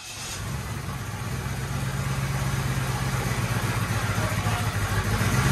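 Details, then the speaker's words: Monte Carlo 350 Chevy V8 freshly rebuilt with Holley hot rod parts, cold garage start: uneven, lumpy idle that doesn't settle, smoking; ignition timing out of adjustment, distributor and choke later tweaked. "Oh, we definitely gotta tweak our timing a little bit."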